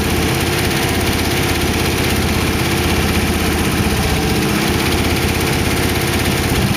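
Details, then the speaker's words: 1914 Dodge T-bucket roadster V8 with carburetors, warmed up after first start: steady, even idle with a smooth low thrum and no ticking or knocking. Good oil pressure; the startup lifter tick had calmed down. Sounds good. "the lifters were ticking when I first started it they calm down I really want to run it much more risk when having water in it sounds good"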